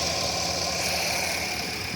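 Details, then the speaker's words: 2020 GMC Yukon Denali XL, repairable salvage with brand-new GM 6.2 engine just installed; smooth, even idle hum with no knocks or ticks, running perfect and new; normal idle. "running perfect and new."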